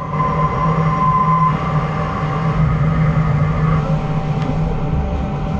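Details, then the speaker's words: DN Solutions twin-turret CNC lathe with carbide boring bar, after tests with steel and heavy-metal bars: faint steady ringing over cutting rumble, mild chatter but no longer screaming like the other bars. "still chattering but it's not screaming like the other Bars were so that just goes to show you what a difference your bar Choice can"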